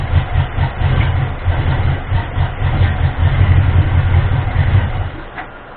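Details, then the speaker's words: Ford 351M V8 truck being diagnosed for misfire and rough idle, started on fuel primed into the carburetor bowl: runs lumpy a few seconds then dies; owner suspects fuel not yet filling the bowl. "kind of water was doing before that still might be a fuel issue probably hasn't completely filled up a bold yet"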